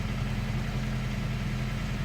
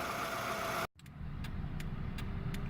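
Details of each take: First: 2002 Toyota Camry with head gasket leak from pulled rear head bolt threads, fast idle about 1250–1300 rpm during Bear's head gasket sealer treatment, steam from tailpipe: steady even drone, no knocks; leak not audible. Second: 2002 Toyota Camry after Bear's True Blue head gasket sealer for head gasket leak from pulled rear head bolt threads, idling: steady low even rumble, no sputtering or misfire; normal idle.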